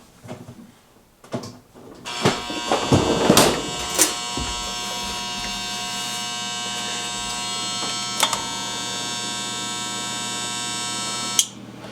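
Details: Jenn-Air fridge not cooling, with clicking: steady hard electrical hum with sharp clicks at start and near end, compressor drawing 9 amps (LRA 19.5 A) and straining; failing RC0410 combination start relay.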